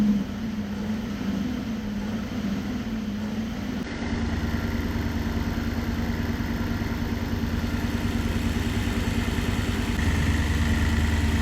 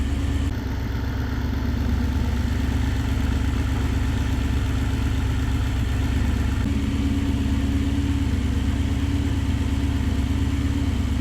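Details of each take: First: Supercharged Nissan VK56 V8 in a Nissan Gloria on a Link ECU, after both fuel pumps were switched on: a low, steady burble catches and settles into an even idle with no misses, with fuel pressure at 265 kPa, just under 3 bar. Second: Supercharged Nissan VK56 V8 in a Nissan Gloria on a Link ECU, not yet fully warmed up, with master fuel cut from 27 to 17: deep, slightly lumpy idle with an uneven pulse. Fuel pressure is too low and needs at least 3 bar.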